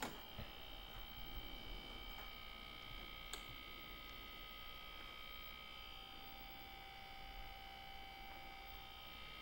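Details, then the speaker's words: 1987 Ikegami TM14-16R colour monitor, outer shell removed, first power-on before cap kit: steady high whine with faint buzz from the large yellow transformer, cause not yet pinned down; transformer buzz on power-up. "that sounds coming from that large yellow transformer"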